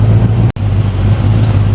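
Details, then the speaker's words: 350 Chev V8 in a Jaguar after fitting 1.6 offset rockers for more duration: deep even idle burble, steady apart from a brief cut, no knocks or ticks; sounds healthy with a bit more lump and chop than before. "so to me it sounds like it's got a bit more of a lump to it"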